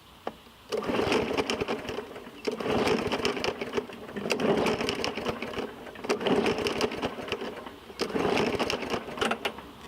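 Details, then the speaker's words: 2017 Murray 21-inch mower, Briggs & Stratton 450E, after a carburetor clean: five recoil pulls, each a brief rattling spin that dies without catching; cranks but won't start, and the owner doubts the carburetor is the cause. "I don't think it's carburetor right it wants to run I can hear it"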